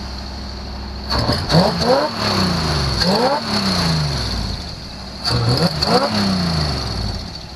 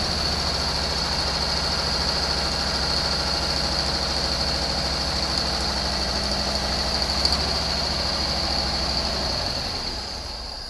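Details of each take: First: 1974 Chevy Nova being readied for autocross, after a fuel supply issue at the carburetor: three throttle blips rising and dropping back cleanly, holding on without stumbling or dying; normal running and revving. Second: 1974 Chevy Nova V8 being readied for autocross, distributor turned by ear, timing not yet checked: runs with an uneven, unsettled note then fades out; fuel delivery issue suspected, possible fuel line obstruction.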